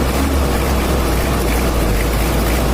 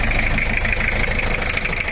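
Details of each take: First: Toyota Kijang LGX 2L diesel after rebuild and injection adjustment, engine cleaned and ready for handover; steady idle with light even clatter, not too dry or harsh, no knocks or misses; normal smooth older-diesel sound. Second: Toyota Kijang LGX 2L diesel: rough idle with hard uneven knock, like one dead nozzle; cracked pre-combustion chambers, plus worn camshaft, blow-by smoke at oil cap; chambers replaced, injection pump recalibrated.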